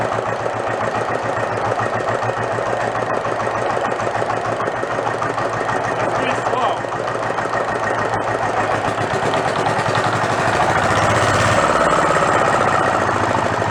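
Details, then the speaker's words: Renault single-cylinder marine diesel revived after about 20 years in a shed, with fuel now through the pump and throttle all the way down. Loud, even chugging of about three beats a second with an open-exhaust bark. Won't shut off without starving the air. Normal running. "that's more like it there's only one problem i can't shut it off i gotta starve it for air"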